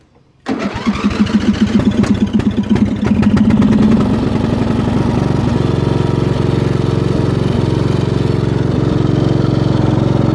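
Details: Older Craftsman hydrostatic riding mower, Briggs & Stratton 15.5 HP, new carburetor, oil change and battery, sat two years: single-cylinder engine catches quickly and settles into a steady, even beat with no misses; runs smooth.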